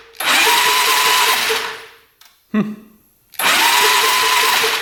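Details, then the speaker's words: 1997 Polaris Magnum 425 6x6 ATV that wouldn't run, electric starter spinning fast and light in two bursts with barely any slowing per stroke; doesn't seem to have much compression. "turning over it doesn't seem like it has much compression we're just lucky it turns over though at this point"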